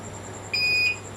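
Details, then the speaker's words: UPS fitted with a new battery, mains plug pulled to test backup: single clean high-pitched beep about half a second long over a quiet room, the normal on-battery alert. "Coba kita cabut dulu arus listriknya. Saya cabut ya. Oke."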